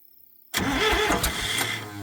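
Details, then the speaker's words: Skidder 440 diesel after owner's injection-pump rebuild: starter engages, engine turns briskly with a few firing puffs, almost starts, then the starter kicks out and it winds down. Owner suspects the starter. "Listen, it'll crank, but it almost starts. And that starter kicks out as soon as it tries."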